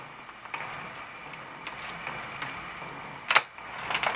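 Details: Motorized waterfall motion picture: faint dry grinding hiss with uneven soft ticks from its small motor mechanism plus a louder scrape, grinding at one spot, especially when pushed down.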